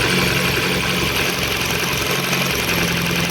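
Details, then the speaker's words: Ford Focus 1, 2000, 1.6 petrol with a misfire on one cylinder, power loss and rough idle: sharp irregular snapping crackle over steady idle after swapping ignition leads between cylinders; strong spark jumping, this lead is fine. "чуєте пробиває все отлично тріщит Іскра мощна пробиває прямо конкретно"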